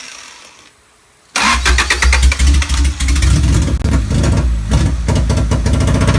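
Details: Honda Civic D15B2 after an MPFI conversion, hard to start, won't accelerate, with only ECU code 20 (electrical load) and correct belt timing: it catches abruptly, then runs a lumpy, uneven, misfiring idle.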